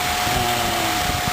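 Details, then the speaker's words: 2003 Honda Element after replacing both the engine cooling and condenser fan motors, diagnosed from overheating: steady airy rush of fans over an even engine idle with a faint constant tone; both new fans running great, nothing abnormal. "okay guys got both fan motors in hope you can hear me both fans are running great"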